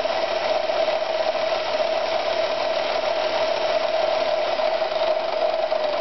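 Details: Victoria 128 FE sewing machine after servicing: smooth, constant mid-pitched whir at steady speed without knocks or rattles; runs evenly, normal running.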